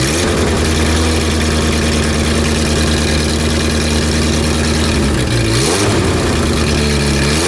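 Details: Renault R10 after 20+ years sitting, running: steady even idle with clean rev blips rising and falling smoothly, no knocks or misses; no blue exhaust smoke.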